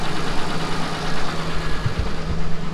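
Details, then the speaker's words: Ford Ranger after a valve cover gasket job, fresh coolant, and reseating a loose rear spark plug that had caused a bad tick: low, even, smooth idle with no ticking or misses; running normally. "it's nice and quiet now i don't hear any weird noises yeah it sounds nice this thing sounds good awesome runs nice and smooth it's nice and quiet"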